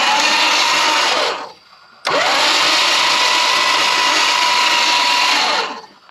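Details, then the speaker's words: 1974 Dodge Monaco barn find parked since 1990, crank attempt with shifter linkage bushing missing: two bursts of harsh high whirring grind, pitch dropping at each end; starter sounds horrible. "that starter sounds horrible"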